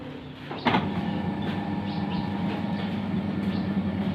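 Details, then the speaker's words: Automatic washing machine running after its noisy motor was replaced (old motor's bearing suspected; wash shaft found fine): one soft clunk at start, then low even motor hum with no rattle or grinding, quiet and smooth. "ไปได้เรียบร้อยครับพร้อมเปลี่ยนมอเตอร์ครับเสียงดังยังก็เหาะไม่มีแล้วนะครับ"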